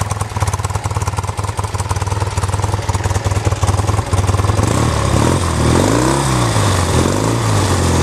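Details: 1973 BMW R75/5 airhead boxer twin motorcycle with 43,000 miles: even, steady low thumping idle at about three beats a second, no knocks or misses; runs smooth and healthy.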